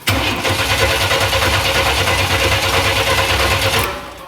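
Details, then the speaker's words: 1995 Chevy Astro 4.3L with a new fuel pump but no prime at key-on, spark present: steady starter cranking at about three beats a second for four seconds, never firing; crank, no start with no fuel pressure. "okay as you can see no fuel pressure"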